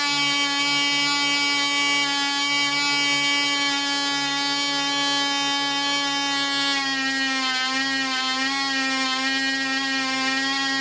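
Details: Black Widow mouse racer glow engine (high-compression head, 5x3 prop, 24% nitromethane) on its first test run. A steady high buzz holds one speed, then the pitch wavers near the end; it runs on rather than cutting off when the vent is closed, possibly slower than expected; owner suspects an air leak.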